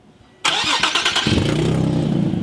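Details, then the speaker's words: Nissan 370Z with stock manifolds, test pipes and catback, warmed up and revved: sharp raspy ticking chuff on the exhaust note; exhaust leak at the front, perhaps the downpipe, possibly a missing gasket or loose joint; headers planned. "it kind of sounds like it's coming from right here ish so it sounds like it might be the front part of the downplay"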